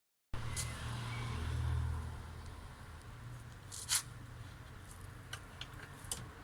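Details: Piaggio Zip SP race scooter two-stroke on first start after restoration: puttering along at a low, fairly even idle with a few light clicks on top; runs fine.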